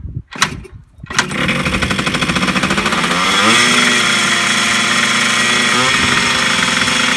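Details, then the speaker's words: 1980s Yamaha MX100 two-stroke first start after fuel tank cleaning, fuel tap unblocked and new fuel pipe, choked, premix fuel; rough catch after a few cranks, then fast buzzy idle creeping higher; idling too fast, owner suspects the throttle. "So there you go, it did start. It is revving a bit fast."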